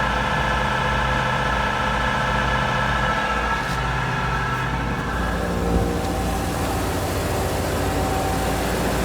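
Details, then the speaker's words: Multi-flow control valve test rig: engine idling smoothly during warm-up with the blower running under load, A-port pressure and speed unchanged. Steady even drone with fixed tones, no knocks or surges. Normal idle. "The engine RPM is still at idle."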